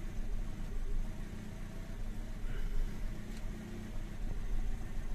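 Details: 2017 Toyota Vios automatic, about 54,000 on the odometer, codes P1603 and P105, after spark plug cleaning: low, uneven idle swelling and sagging every couple of seconds with a lumpy beat; hunting rough idle with misfire and vibration.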